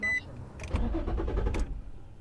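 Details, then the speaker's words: Infiniti G35 coupe, first start after fuel sender fix with air possibly left in the fuel line: the starter churns about a second before the engine stumbles and catches. Hesitant, slow start. "it's not gonna want to start for a second there goes see I hesitated right there for a little while"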